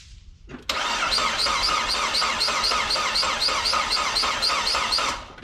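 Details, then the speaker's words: 2002 Saab 9-3 convertible, compression test over oil light at extreme heat: steady starter cranking about four seconds, even beat, no firing; readings 125–140, around 130–135 average, compression sounds even. "so everything's around 130 ish 130 to 135 is what the engine is registering on average"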